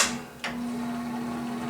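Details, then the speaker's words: About 50-year-old box fan: a click, then a steady low hum that never reaches full speed, little difference between low, medium and high; slow fan from worn, unoiled motor bushings, later replaced. "there's low there's medium there's high there's not a noticeable difference between them all it should be spinning a lot faster than that"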